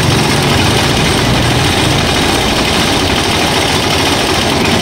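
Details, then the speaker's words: Rusi Chariot 175 tuk-tuk used for hauling water, engine running with no throttle input; fast, busy patter held steady, idling too high and said to waste fuel. High idle speed. "Mataas yung menor niya bro. Patakaw sa gas yan."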